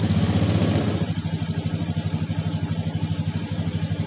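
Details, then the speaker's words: Honda Beat eSP scooter after fitting a healthy test battery (12.2–12.3 V): starts and settles into a steady, evenly pulsing idle around three beats a second with no misses. Charging reads 13.6–14.5 V with throttle; the old battery was the fault. "Jadi sekarang kita nyalakan motor, kita nyalakan"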